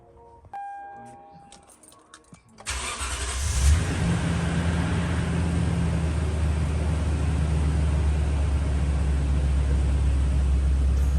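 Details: 2012 Toyota Tundra V8 after a new thermostat, water pump and valve cover gasket: dash chime, the engine cranks, catches with a brief flare and settles into a steady, even idle before coolant bleeding. The previous noise is gone.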